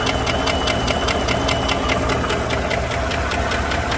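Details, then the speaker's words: 2015 GMC Sierra 5.3 V8, cold, with codes P0300, P0304, P0172 and P0324 and a rough-running history: a sharp, light tick about five times a second over the idle, loudest on the passenger side; a bent number 4 exhaust pushrod was found off its rocker arm. "listening with a stethoscope that seems to be on the right side i wonder if it has a damaged push rod bent pushrod or something"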